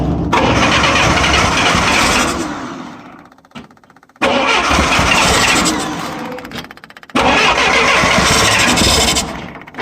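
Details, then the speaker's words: 1966 Clark forklift, gasoline Continental flathead four-cylinder, cold after sitting six months, on full choke with the throttle floored: three long cranking bursts with no catch. Flooded, with a carb issue suspected; it eventually starts. "She'll go. Stuff's happening. Hold it to the floor. Yeah, she's flooded."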